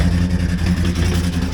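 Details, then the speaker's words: Land Rover Discovery 2 V8 with cylinder one completely dead (compression and spark fine): lumpy, stumbling beat with a light tick, suspected lifter or valve; cylinder misfire. "Maybe does not sound good. I think I've either got a lifter or valing pretty bad though."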